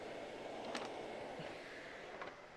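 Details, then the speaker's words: Bosch canister vacuum running: a soft, steady whoosh of air with no pitch swings, knocks or rattles. A very quiet machine running normally. "So, as you can see, the Bosch is turned on. Right there. It's a very quiet machine."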